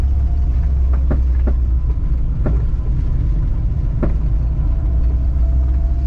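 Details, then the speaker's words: Honda wagon with spherical rear trailing arm bushings, driving turning left and right: steady road rumble broken by sharp irregular knocks every second or so; spherical trailing arm bushings clunking, to be replaced with rubber. "I will say one thing though do not lift your car up with spherical rear trailing armed bushings it makes a lot of noise I don't know if you guys can hear it every time I do a left or right"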